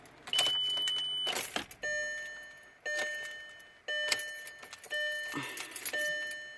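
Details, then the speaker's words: 2002 VW Passat wagon, EPC light on, that stalled then stopped starting despite a new fuel pump, fuel filter, MAF and crankshaft sensor: turning the key gives only the dash chime, no starter click or cranking, and the key sticks; no-crank no-start, cause unknown. "my car won't start and I have the epc lie on but when I turn on the key it's not doing nothing"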